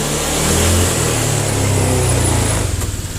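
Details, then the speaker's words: Honda Vario 125 injection scooter after fixing throttle delay, which was caused by the throttle cable and sensor not working together because of a hook: revs climb cleanly as soon as the throttle opens, hold, then fall smoothly; crisp pickup, no delay. "oke sudah tidak ada delay"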